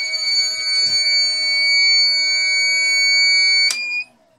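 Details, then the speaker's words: 18Ah jumper pack running a four-foot shop light, cooling fan on, gives a loud steady high-pitched screech for about four seconds after 2 hours 14 minutes: the low-battery alarm. "okay we now have a large loud screeching alarm coming out yeah two hours and 14 minutes"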